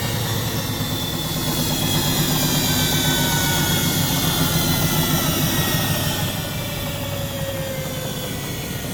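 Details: Front-loading automatic washing machine running with back and top covers removed, motor, belt and drum spindle exposed: steady loud whirring rush with even low hum and no knocking or scraping during spin; drum spins up smoothly and sounds healthy.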